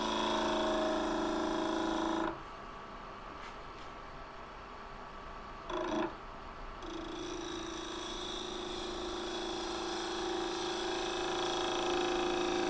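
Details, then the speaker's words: Holly bowl turning on a wood lathe with a freshly sharpened gouge: a buzzy, purring rattle over the lathe hum while cutting, which is the tool chattering on the bowl. "Feels like ivory, but you can hear it chattering there."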